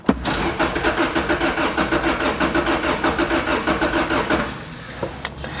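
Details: Wrecked 2006 Lotus Exige, battery at 11.9 volts; starter cranks in a steady rhythm for about four seconds, roughly ninety-five beats a minute, but the engine never catches; a fuel cutoff or kill switch is suspected.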